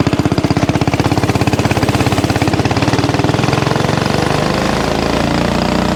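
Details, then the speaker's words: Axis/Coleman M200 mini bike, 196cc single, tuned 22mm Mikuni carb with needle raised, exhaust, governor delete, flat out at about 31 mph GPS max: hard pull, then rapid firing holds flat as if capped; owner suspects stock valve springs floating. "Now, I think the biggest limitation we've got is the valve springs keeping us back from from higher RPM. I think we're getting a ton of valve float."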